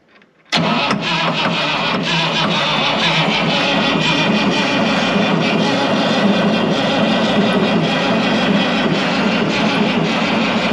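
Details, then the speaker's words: 1965 International 806 Wheatland diesel tractor, sitting since 1995: the starter cranks steadily at about 3.5 turns per second with no firing and no fuel at the injectors. The injection pump may be dead. "better quit nothing not a drop little dry injection pump could be dead"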